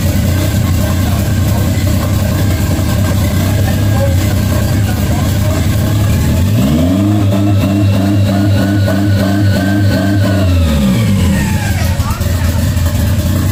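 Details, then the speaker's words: 1992 Toyota MR2 project car: idle sits high, surges up and drifts slowly back down instead of settling; pushing the throttle fully closed makes it idle fine, so the throttle plate not closing fully holds revs up. "so as you guys heard um when I push the throttle completely closed the idle went perfectly fine"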